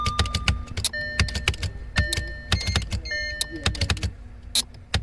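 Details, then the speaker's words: 2012 Audi Q5 with random loss of power steering, parking brake and engine power plus multiple warning lights: sharp rapid clicking and buzzing with dash chimes as ignition cycles, a failing power supply relay chattering because its contacts cannot close. "hear that you can hear the buzz now that buzz is from the relay not being able to close the contact like it uh opens and closes real quick"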